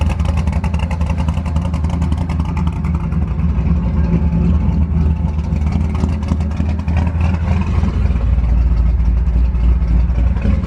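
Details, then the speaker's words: Ford F100 V8, after switching to 20W-50 oil over collapsing lifters on cylinder two: deep rumble with a loose, fast metallic clatter from both broken exhaust hangers letting the pipes rattle. "all the rattling you can hear is my exhaust hangers they're both broken but dang this thing sounds good"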